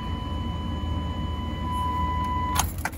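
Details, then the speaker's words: 1998 Chevy Silverado 350 Vortec V8, 300,036 miles, previously crank-no-start: after replacing worn, corroded distributor cap and rotor it starts right up with a low even rumble, steady high tone and a few clunks; runs normally. "and we're just gonna watch it starts right up"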